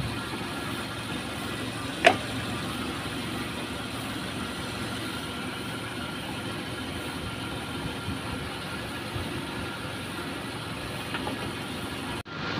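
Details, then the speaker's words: Used standard Suzuki Katana inspected before purchase, idling: quiet, steady even hum, no knocks, ticks or hunting; engine calm and not shaking, attributed to stable combustion and stable electrics, judged healthy. "Kita dengerin aja ya tem-teman untuk mesin yang sehat yang stabil yang Insyaallah tidak ada masalah itu dilihat dari getaran mesin ya dia tenang tidak goyang-goyang ya karena stabil pembakarannya Ya kelistrikannya stabil"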